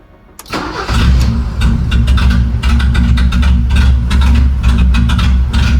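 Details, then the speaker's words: BMW E30 with M10 four-cylinder, MAF disconnected: engine catches quickly, then settles into a lumpy, very poor idle with an irregular low pulse before stalling; injectors and idle control valve work, MAF or cold start valve suspected, not confirmed. "I just shut it off cuz it was idling extremely poor, but every time I turn it off, I got to check for leaks."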